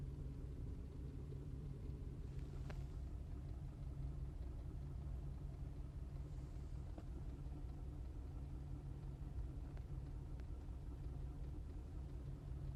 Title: 2005 Cadillac CTS 2.8L ROUGH IDLE MISFIRING